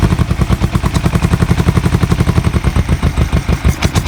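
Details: Kawasaki EN450 bobber twin, not started for a while, a little choke, running off a spare secondary tank, carbs not yet removed: stumbling, irregular low idle, not firing cleanly on both cylinders; one side fuel-soaked, other dry; owner suspects carb float height.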